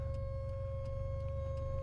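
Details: DeLorean driving at light throttle, with long delay engaging gear and stalling if given too much gas: low uneven engine rumble with a steady whine and faint ticks about three a second; source unidentified.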